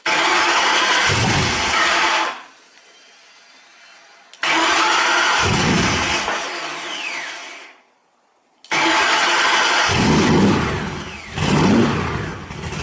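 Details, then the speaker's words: Cobra engine on its first start catches and runs briefly, then dies away to silence, twice over, never settling into an idle. Engine stalls after starting, traced to the idle control loop needing work. "doesn't sound right what you probably could see there is that the engine started up and didn't idle"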